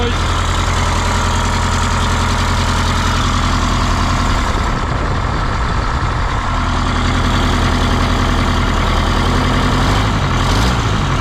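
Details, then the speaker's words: 1977 MCI coach with 8V71N Detroit two-stroke diesel, just restarted after freeing three stuck injectors that caused a runaway: deep, steady even idle, no knocks or misses; about 50 psi oil pressure, warming up; normal idle. "she's a runner [ __ ] let her run let it warm up"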